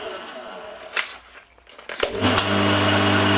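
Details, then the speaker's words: Bosch 2000 HP AXT garden shredder, about 10 years old, after replacing faulty capacitor that made it run in random directions; motor spins up to a steady even hum, no rubbing or grinding, running fine. "Yeah, so it was just the capacitor, nothing too complicated actually."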